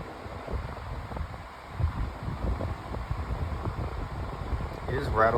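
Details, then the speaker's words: Floor fan with bent guard: uneven low rattling and buzzy thumps over steady rush; out-of-balance blade shaking the fan. "Yeah, this fan is out of balance. You can kind of feel it shaking."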